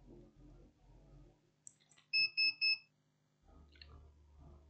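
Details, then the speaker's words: Lenovo ThinkPad Yoga 11e laptop with no display, powered on after BIOS battery reset: three short, evenly spaced high-pitched beeps over a quiet room; RAM failure beep code, technician suspects a RAM problem and tests a different RAM stick. "we have the beeping sound we reset the back so let's just wait you can hear the beeping sound what is the problem here why we don't have picture"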